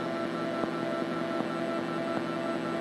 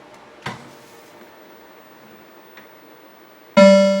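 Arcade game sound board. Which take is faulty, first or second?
first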